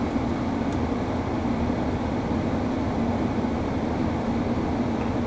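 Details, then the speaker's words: Hybrid propane furnace with heat pump, supply air cooled from 95 °F below 90 °F so the heat pump restarts: steady airy blower rush ramping up with a low hum underneath; fan running normally. "there's the heat pump and now you can hear the fan ramping up because the Y energized to the heat pump and to the furnace control"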